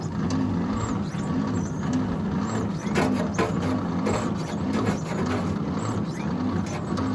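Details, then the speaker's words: 1953 International L160 truck, long parked, had no spark, battery thought dead: slow labouring crank with uneven thumping rhythm, choke on after starting fluid, never fires; cranks weakly without starting. "levi's gonna turn the choke on choke is on let her rip no dice up the ante and put some good old gasoline in there"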